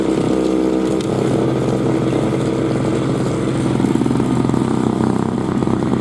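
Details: 2003 Murray single-stage two-stroke snowblower, unrun 5 years and previously leaking gas, revved up clearing snow: buzzy, steady pitch with no sputter, surging or misfire. Runs healthy under load after priming and starting first pull.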